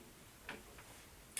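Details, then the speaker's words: Faint sharp plinks about a second apart in a quiet room: a sink tap dripping every couple of seconds and needing repair. It was picked up by a Rode mic six minutes into an Atomos Ninja V fan-noise recording test. "I'm wondering if you actually hear the dripping because I have to fix a sink over here that's dripping every couple seconds"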